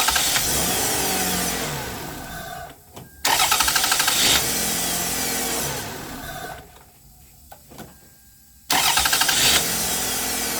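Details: 2002 Toyota Solara SLE after its bad starter was replaced: quick, even cranking catches straight away into a smooth idle, repeated twice.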